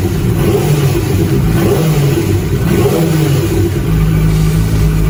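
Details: QJ Sai 600 motorcycle engine revving in smooth blips with an even exhaust note, no knock or clatter standing out; normal by comparison with a failed engine that got louder with throttle.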